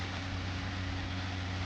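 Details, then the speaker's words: Restored 2013 Crompton Greaves Trans Air 9 (225 mm) exhaust fan, 1.5 µF capacitor, new 6201 bearings slightly tight from fresh grease: steady low even hum at full speed, no banging; runs normally, slight vibration, blade adjustment needed. "As you can see the exhaust is have been gained full speed but little bit um blade adjustment is required."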